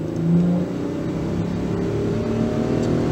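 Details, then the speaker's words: 2011 Ford Edge 3.5L V6 with flashing check-engine light under throttle: a flat, uneven note that hesitates instead of climbing, as if starving for fuel. The misfire and low power were ultimately traced to an ignition problem. "bad hesitation bad hesitation there to me it kind of felt like the engine was starving for fuel almost"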